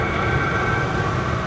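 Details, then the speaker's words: Vevor 8kW diesel air heater, newly assembled and running, outlet air climbing from 130 to 140°F and exhaust around 260–280. Steady even roar with a constant airy rush, no knocks or surges. Normal running. "280 all right so I might just have to renege on what I was saying about this thing being a POS because it is freaking blowing some serious hot air right now"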